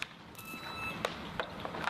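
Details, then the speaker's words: Holiday detector in a liner integrity survey over conductive geotextile beneath a geomembrane: a thin high beep for about half a second among scattered clicks, audibly signalling a detected liner defect. "the holiday detector or the test will also um provide an audio to state the effect being detected."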